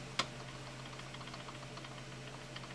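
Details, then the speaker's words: Fender Stratocaster bi-flex neck, straightedge rocked across frets: light, irregular ticking over background hum, revealing one high fret behind fret buzz, to be dressed with a crown file. "1 2 3 4 that fret right there is high that's the one I have wrote"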